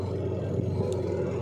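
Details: Semi-automatic washing machine spinner after repair of noisy spin: even low hum and rumble with no squeal, scrape or knocking; spinner turns smoothly and quietly.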